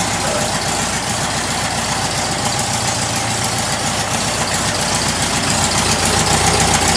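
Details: Rebuilt stock air-cooled VW flat-four, once a sidewalk engine: steady, even idle with a light regular patter and a faint high whistle from the tailpipe; runs good and sounds healthy; normal idle.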